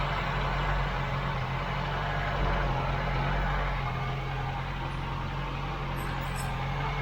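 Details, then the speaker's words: Mk3 Ford Cortina just fitted with Accuspark electronic ignition, timing at 40 degrees and needing retarding, with a suspected air leak possibly at the PCV valve pipe: steady, slightly fast, somewhat erratic idle with a firm low hum; ignition over-advanced. "The timing's quite out at the moment, we're going to have to bring it back. Where's the air leak? You're on 40 degrees, so we need to come back."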